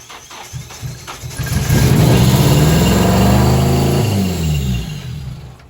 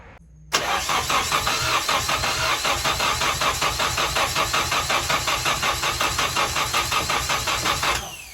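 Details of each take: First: Tyler's turbo KA (KA-T) Nissan 240SX after a good distributor replaced the bad one (spark and injectors confirmed) and backwards fuel lines were found: it cranks, catches, revs smoothly and settles back. Normal start and rev. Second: Tyler's Nissan 240SX with a turbo KA (KA-T), in neutral: the starter cranks evenly for about seven seconds without catching. Crank no-start with no spark or fuel, blamed on a bad distributor.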